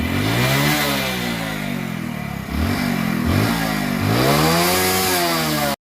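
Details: Hero Splendor motorcycle engine after repair, which replaced a worn timing chain, worn wheels and worn camshaft bearings. It runs evenly and revs up and down a few times with no tapping or rattle: normal engine running.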